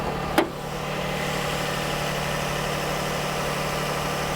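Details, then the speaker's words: 2004 Lexus RX 330, 3.3-liter V6, first start after purchase: one click, then a smooth, even low idle hum with no knocks or misses, smooth at the steering wheel; healthy engine. "Oh, it sounds pretty good. It sounds pretty good. The engine sounds legit. V6 3.3 liter."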